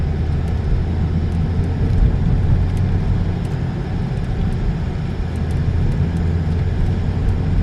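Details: 2012 Peugeot 308 1.6 after front suspension part replacements: steady low road rumble at cruising speed with no rubbing or clunks over bumps; earlier right-side knocking and rubbing traced to a failed Z-rod, now gone.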